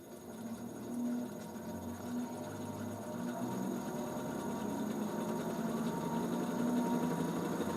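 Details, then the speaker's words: Wood lathe turning a heavy 300 mm × 95 mm bowl blank with tailstock support, at 800 rpm: steady motor hum with fast, slightly uneven buzzing throb; off-balance blank causes mild vibration. "voilà je suis à 800 tours et j'ai un peu de vibrations mais pas beaucoup"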